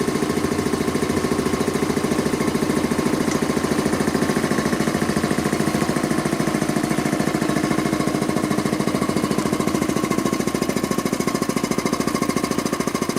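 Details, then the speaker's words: Quincy model 325 air compressor after rebuild (cylinder head cleaned, valves rebuilt), test run: steady, even thumping at about 207 per minute with no discharge-valve leak click at the intake. No in-tank check valve fitted. Pumping normally and healthy. "well that sure looks good to me you can sometimes you tell if the discharge valve here holds all your air pressure back there's no in tank check valve and if the discharge valve leaks you can actually hear it come out of the the intake"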